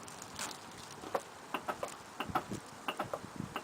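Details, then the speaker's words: 1998 Oldsmobile LSS with 3800 Series II supercharged V6, about 17 years old: sharp, uneven clicks about once a second over bumps; owner says the shocks are going, cause not confirmed. "you can hear how bad it is so whenever time i hear golem bumps it will just click and click and click"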